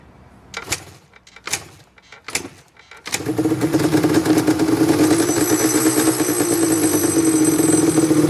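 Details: Yamaha Banshee two-stroke that sat for 7 years, after cleaning the carburetors and fuel line (it used to run, die and leak fuel), kicks three times, then catches and runs steadily and crisply.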